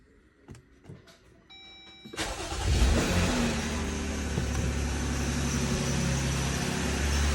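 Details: 2020 Jeep Gladiator V6, first start after top-end teardown for a tick suspected from the rocker arms, cover still off: brief crank, catches at once and settles to a smooth, even idle with no ticking; normal start and idle.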